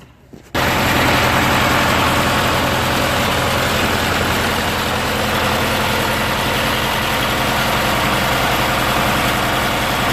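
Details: Murray riding mower, 16HP Briggs & Stratton opposed twin, after carburetor and fuel pump rebuild and water drained from fuel: catches quickly, steady even twin-cylinder throb, no misses or surging; running properly.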